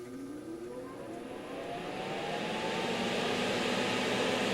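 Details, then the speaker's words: NOEVSBIG 120 V solder fume extractor fan (up to 3300 RPM, adjustable speed) turned up to maximum: airy rush with a whirring tone climbing over a few seconds as its heavy fan reaches full speed; normal, healthy spin-up. "And it just takes a moment or so to get up to speed."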